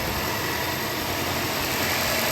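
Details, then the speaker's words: Audi TFSI engine after auxiliary belt tensioner replacement, original belt kept, previously squeaking: steady even idle with no belt squeal or chirp; running normally. "yeah there we go the belt hasn't chopped itself off which is good"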